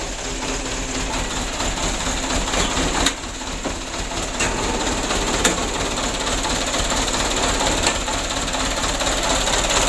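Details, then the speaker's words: 2008 Mitsubishi Canter 125 diesel truck with the cab raised, before adjustment. Complaints are idle shake, long cranking and low power. Uneven, lumpy idle with irregular pulses and clatter; mild rough idle, cause not yet found. "ini mesinnya Nur plafonnya goyang Ya cuman goyangnya enggak gitu parah lu ya juga seperti kantor yang lalu"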